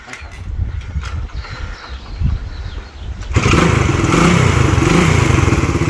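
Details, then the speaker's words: Restored classic Honda kick-start single (CB125 or CB360 restoration, no electric start), first start after restoration: fires on first kick after a few quiet kicks, settles into an even quick single-cylinder beat; normal start. "First kick. First kick. Awesome. And listen to it. Isn't she just a little But just darling?"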